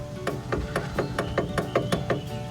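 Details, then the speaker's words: 2012 Honda Fit rear door window motor, recorded at the door with panel removed: rapid even clicking about four a second, no motor hum, window not moving; both back windows stopped together, fuses tested okay; failed power window motor. "You can hear the clicking,"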